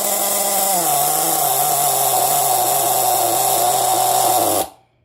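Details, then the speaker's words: Nitro RC car engine, just cleared of flooding, throttle shut: high-pitched buzz holds steady, dips in pitch once, then cuts out abruptly; runs after clearing flood with much fuel still inside. "Awful lot of fuel in that engine for it to run that long."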